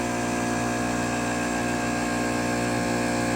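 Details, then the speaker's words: Fluoromizer 3500 refrigerant recovery compressor, load-tested with the outlet blocked, building about 200 pressure at a reading of "460" amps: steady, even hum with a smooth pulsing beat under load, no knocks or rattles; normal operation under load. "yeah, it'll build pressure, man. Amps 460. It'll build 200. Well, that's fine. That's a little bit of a load test on it."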